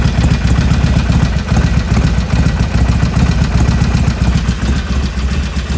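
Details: 2020 Harley-Davidson Iron 1200, 6,000 km: warm V-twin idles with an uneven lumpy beat and a light irregular clatter that persists after warm-up; abnormal engine noise, cause unknown.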